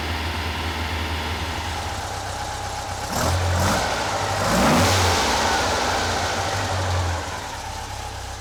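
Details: Rebuilt Porsche 912 flat-four in a 911: even fast idle with clean throttle blips that rise and settle smoothly, after timing retarded from about 38 to roughly 31–32 degrees; normal running.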